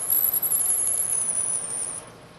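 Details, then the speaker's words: Lathe drilling, drill fed by hand from tailstock: thin wavering high squeal over machine hum as chips pack in the drill flutes and bind in the hole; withdraw drill and clear chips. "the squeaking you hear there is often a very good indication that you've gone far enough with this pass and it's time to remove the drill and clean the chips from the hole and from the flutes of the drill"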